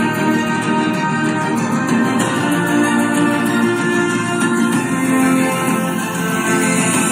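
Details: JBL Bluetooth speaker after repair with electrical tape, cover being refitted while playing: music full and steady at good volume, no buzz or rattle on louder notes; speaker healthy after repair.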